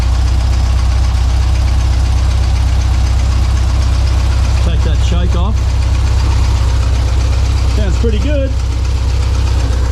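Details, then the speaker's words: 1952 VW barn door ambulance 25hp engine, rebuilt, first start after fixing the fuel reserve switch, cold on choke: even, steady chuff at about four beats a second with no knocks or misses; normal idle. "Anyway, it's running. Sounds good. Take that choke off quickly. Probably just needs to warm up a little bit."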